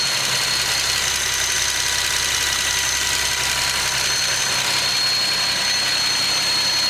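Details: Nissan 370Z with Takeda short ram intake: thin, steady high whistle over the engine idle, rising with revs; odd intake noise, source not pinned down.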